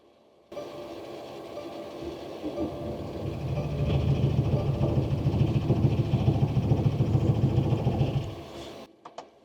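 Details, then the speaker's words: Mercedes Sprinter diesel van, -7°F, dead battery, on a portable jump starter after repeated glow plug cycles, about 22 degrees: fast even starter grind at three to four beats a second, never catching; owner suspects gelled diesel. "Okay, let's try it again. I think my diesel is just gelled. The glow plug should warm it up."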